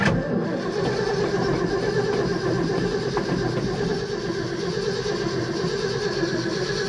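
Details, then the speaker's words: 1972 Ford F-250 after sitting at least 14 years, fresh gas added and pedal pumped: seven seconds of steady even cranking, no firing; no fuel reaching the carburetor, and the line gets pulled to check. "i don't see no fuel there yet so we're not getting any fuel to the carburetor"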